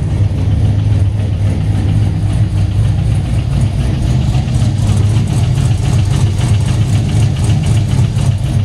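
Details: First start with base tune, on a hoist, two exhaust clamps missing: loud, lumpy idle with fast puffing tick and metallic tap; leaking exhaust manifold/header gasket plus torque converter bolt hitting, fixed by changing the bolt and a new header gasket.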